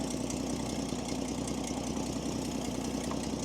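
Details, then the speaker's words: Old truck with a Chevy stovebolt inline six: steady, even idle with a soft regular beat, nothing knocking or missing; running and charging, engine healthy. "she's running it's charging a very straight stove bolt six very straight I mean you ain't going to beat this engine"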